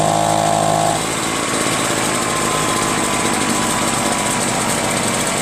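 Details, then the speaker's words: Echo PB-403T two-stroke backpack leaf blower, a curb find, after carburetor cleaning, magneto reinstalled and kill wire disconnected: catches and settles into a steady high full-revs buzz without surging or dying; normal running. "How about it? Got it started. Well, now all I need is a new carburetor, right? I don't think it'll start again, though."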